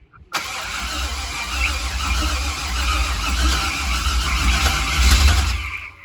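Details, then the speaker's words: C5 Corvette with newly swapped built 6.0 V8, first start in 4 years, still on an LS1 tune: long steady churning crank with deep rumble slowly catching; seemed short of fuel at first, slow to start; suspected throttle body needs tuning. "yeah let's try it's getting fuel now it sounded like it didn't have fuel yeah it needs to get fuel you could tell it was starting to kick"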